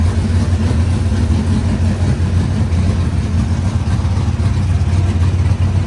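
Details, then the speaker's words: Cold squarebody Chevy truck that also has a battery ground issue. It idles with a deep, low rumble, fairly steady with slight unevenness and no knocks or ticks; the engine sounds healthy. "You know, as much issues as this thing causes us, it still sounds good. Sounds good."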